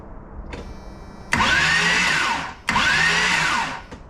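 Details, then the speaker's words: Jeep XJ with swapped 350 V8, wiring in progress; two one-second bursts of steady starter whir rising then easing in pitch; starter spins the engine over normally without catching. "up yeah you heard it first that's the sound of the starter"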